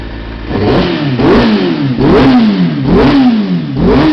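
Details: Kawasaki ZX-6RR engine blipped repeatedly after spark plugs were cleaned, revs rising sharply and falling away smoothly with no stumble or popping; misfire and fluffy running cured.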